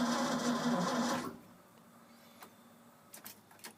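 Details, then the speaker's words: Old Ford F-600 after a new fuel pump and spark plugs. Brief steady cranking churn about three beats a second that never catches, then quiet clicks; no-start. Gas smelled at the exhaust; owner concludes it's not sparking, cause not yet found. "yeah so apparently she's not sparking so so I guess my next steps gonna be figuring out why we're not getting spark"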